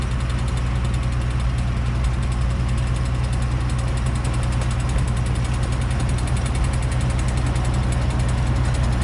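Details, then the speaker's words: Late-1960s Smyth Welding 3-point snow blower engine on near-full choke in winter: loud drone with uneven lumpy beat about two pulses a second, running rough; owner suspects a frozen fuel line or ice in the carburetor. "I just got to get this thing running right. Holy, what is wrong with it? I think there's something blocking the fuel line, or the fuel line is frozen."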